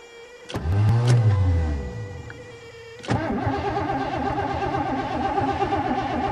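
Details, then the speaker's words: 1986 Mercury Marquis winter cold start: short crank stalls, second crank catches to steady idle; fuel pump not heard priming, relay suspected, cause unconfirmed. "oh please what the hell is that what the hell i don't hear the fuel pump"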